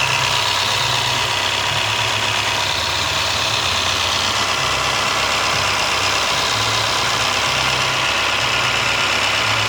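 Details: 2001 automatic Toyota Corolla (7A engine?) at idle: light, fast, loosely rhythmic top-end ticking; owner suspects valve tapping or timing chain noise, cause unknown.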